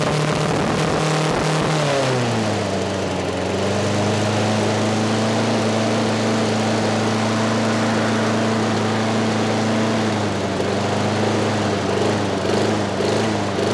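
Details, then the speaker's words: Craftsman 6.5 HP 21-inch push mower, trash-picked: the single-cylinder engine surges, then holds one high speed without settling back, because the carburetor governor arm is stuck; later freed with PB Blaster. "that rather interesting our governor arm was not moving in our carburetor and the governor couldn't control it"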